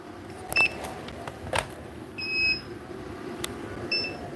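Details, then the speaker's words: Inverter powering the house during a grid outage, pulling nine amps with fans and lights on and the lights dimming: short, high-pitched beeps at irregular intervals. This is the inverter's overload warning. "see where they just not happy you can hear it beeping so um that's that's what was going on there"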